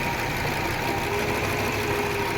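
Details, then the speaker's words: Audi 100 after head gasket replacement (gasket burnt at cylinder 4 had caused a tapping noise) and ignition current problem fixed; now starts and idles smoothly with even beat, no knocking or misses: normal idle. "Енді оталдырып көреміз бұны. Тоқ жағда бәрі жақсы болды. Қоп көріңізші ән. Мінекей, көлігіміз оталып тұр."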